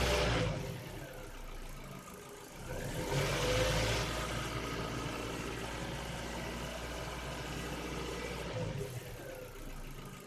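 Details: Ford Focus 2, 1.6 L 100 hp, piston group replaced last summer without boring: faint, irregular light ticking over the idle hum; owner suspects valves or cylinder wear, unconfirmed.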